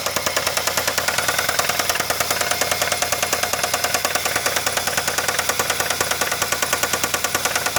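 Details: Running engine with sharp, evenly spaced knocking about 2.5 per second, felt through the dog bones; heavy bottom-end knock, owner suspects a bad rod bearing, unconfirmed.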